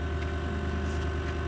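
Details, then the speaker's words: 2018 Lexus GX 460 at engine start, rear sagging; steady low electric drone under idle from rear leveling air suspension compressor, no rattles or surging, stops once vehicle is level; normal operation. "Quand je vais partir l'auto, elle va s'ajuster pour être de niveau. Je ne sais pas si vous pouvez l'entendre."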